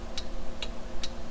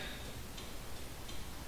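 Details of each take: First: 2002 Toyota 4Runner after LED bulb conversion, adjustable flasher screw turned from too fast to right speed: crisp, even clicks about every 0.4 seconds, a normal turn-signal flash rate. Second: 2002 Toyota 4Runner with LED turn-signal bulbs on the stock flasher relay: faint, quick, uneven clicking faster than normal, hyper flash because LEDs draw almost no load so the relay signals a burned-out bulb.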